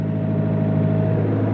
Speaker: I want it to purr. See, that is purring. No smoke.